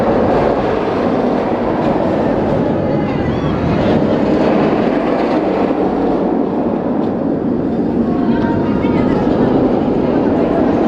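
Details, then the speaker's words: Steel roller coaster train running with nylon wheels instead of polyurethane, sound amplified by massive B&M rails: loud, continuous hollow roar through the whole run, audible across almost the whole park. "un véritable rugissement qu'on peut entendre parfois presque dans tout le parc"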